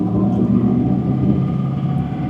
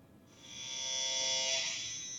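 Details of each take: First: 2006 GMC Sierra 2500 LBZ Duramax diesel, Allison transmission, 470,000 miles, after replacing the turbo sensor for P003A low power: deep, steady rumble pulling evenly under load, no surging, whistling or flutter; normal turbo acceleration, good power restored. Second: 2006 GMC Sierra LBZ Duramax, 470,000 miles, P003A, low power until 2nd gear: commanding turbo vane position with scan tool gives a thin steady high-pitched electric buzz that swells and holds; actuator straining but vanes not moving, sensor stuck near 33%.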